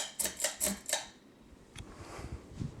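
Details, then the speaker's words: 52-inch Emerson Premium ceiling fan with K55 motor switched to high: switch clicks then a smooth, even whoosh of air, with a faint whistle; normal high-speed running. "it really cranks out a lot of air now if you listen closely you'll hear a little whistling sound but I can easily be drowned out with the wind noise of the fan"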